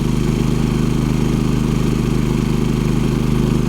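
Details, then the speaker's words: Champion 3500 W dual fuel inverter generator on a travel trailer, restarted: voltage dips to about 115 V and recovers to 120 V, then with the hot water heater on settles around 11.6 A at 82–83 dB. Steady low drone with no knocks or surging; normal under load. "watch the voltage on this one when we fire it up all right again I dropped to about 115 on the voltage meter and back right up to 120 relatively quiet"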